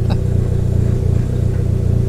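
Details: Dodge Neon SRT-4 after repeated fuel pump trouble, fuel lines and connector refitted: steady, even low rumble with a smooth firing beat, no misses or stumbles; engine finally running normally.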